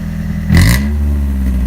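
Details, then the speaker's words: 2000 Honda Civic EX coupe, D16Y8 VTEC, 5-speed: loud raspy exhaust swelling on two throttle blips after fitting an exhaust silencer, which only raised the pitch and removed the low drone; crackle unchanged or louder, possibly from cat or hole. "so this didn't help at all like it did it made it higher pitched it got rid of the low tone but the cackling and all that stuff sounds exactly the same even louder almost the cackling part"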